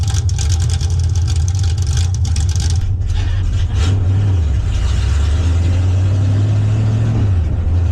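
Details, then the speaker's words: 1971 Plymouth Satellite V8 being readied for drag racing, fitted with a dual point distributor, now straight-piped with no mufflers; camera behind the car. Loud, deep unmuffled V8 rumble and bark rising and falling with revs. "But now it's straight piped. Yeah, I'm gonna go throw this in the car real quick, do the other side, and I'll let y'all hear what this car sounds like straight piped."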